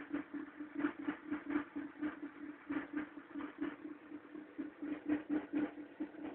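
Lumpy idle pulsing about twice a second with a rough drone underneath; the cold engine runs unevenly, cause not pinned down.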